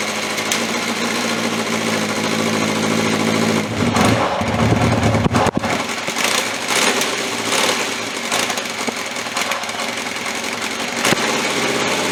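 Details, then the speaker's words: Cold start on a 1981/82 Honda CB750 K four-cylinder with five-year-old oil (300 miles) and old, stale fuel; fuel tap left off, so the cold idle sputters and misses unevenly, then surges and settles; stumbling stops once fuel is turned on. "as you can hear it stumbles and fumbles and everything else and then that first I forgot to turn a gas on again but yeah well no big deal and then uh once I turn to gas kind of quit stumble and fumbling with it"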